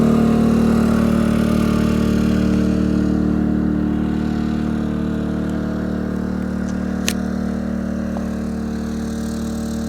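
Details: Yamaha EF2000is 2 kW generator, below zero outdoors, powering a whole house plus garage lighting and running pretty high: steady raised-speed drone with a constant hum, no misses or knocks; normal running under load.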